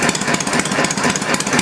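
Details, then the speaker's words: Homemade inline four-cylinder Briggs engine project on its first run, later measured around 500 RPM: even, steady chugging with regular firing pulses and no misses or knocks, running smoothly and healthy. "not bad H buddy not bad at all chugging right along I should have brought the tachometer out a man that's not too bad huh"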